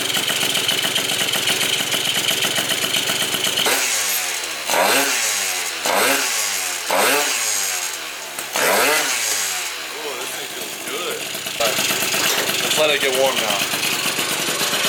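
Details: Yamaha Zuma scooter, just after first fire-up of the freshly built engine following CDI replacement: two-stroke crackles to life, several sharp throttle blips rising and falling cleanly, then a steady buzzing idle; normal idle.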